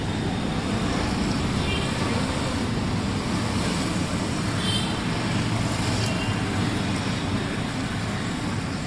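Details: i20 with earlier P0300/P0304 cylinder 4 misfire, after repair: steady, even idle with a smooth low drone and no stumbles; running cleanly on all cylinders.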